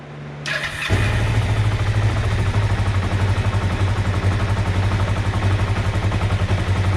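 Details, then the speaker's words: 2005 Kawasaki Ninja 500R revived after sitting ten years, carbs rebuilt, battery connected: catches after a short crank and settles into a steady, even idle with a firm low beat; charging system working, though slow rev return suggests an air leak. "Sounds great, man. This thing's running great."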